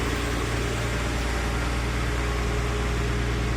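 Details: Porsche Boxster 986 after fuel pump and fuel sender unit replacement, earlier ran poorly with flashing transmission light: steady, even idle hum with smooth low drone, no misses or knocks; running healthy.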